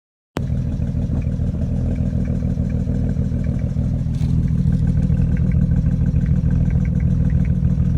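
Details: BMW 335i N54 misfiring right after downpipes fitted, OBD2 codes cylinders 1 and 2: uneven stumbling choppy beat roughening as revs rise; owner suspects coils, plugs or injectors, hoping plugs.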